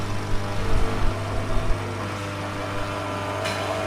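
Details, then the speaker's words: Hatari HT7631 stand fan after thermal fuse replacement and reassembly, tested on a table: loud steady low buzzing hum appears once the fan is stood upright, quiet when lying down; the fan is not loud on the floor. "ปรากฏว่ามีเสียงดังนะครับตะกี้เรานอนอยู่เสียงไม่ดังครับพอเราตั้งขึ้นจะเกิดเสียงดังทันทีครับ"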